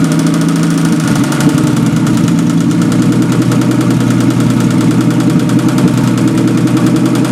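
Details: Old engine after fuel pump diaphragm repair and valve adjustment, with coolant leaks and a weeping freeze plug: even, steady beat with a light regular valve tick over a firm drone at fast idle; normal running.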